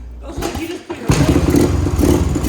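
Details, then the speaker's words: 1979 Honda two-stroke dirt bike, abandoned 15 years, first start fed fresh gas from a bottle bypassing the tank, running rich with black smoke: rough, uneven running with a clattery rattle; owner wonders if rod knock, unconfirmed. "oh that's why oh does that thing have a rod knocker is that just me because that sounded really clattery"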